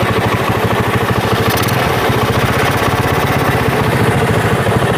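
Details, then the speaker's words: Honda GL Pro single-cylinder motorcycle after replacing the stretched, worn cam chain that made it run rough: even thump at idle with no chain rattle, a little raspy from the open intake; normal idle. "kita lihat di sebelah kiri sangat halus sekali mas jadi di sini awalnya itu memang kasar sekali ya karena di sini rantai ketengnya ya atau rantai kamar di bagian mesin ini sudah molor alias sudah tua sehingga Tadi suaranya kasar dan setelah penggantian di sini sudah halus"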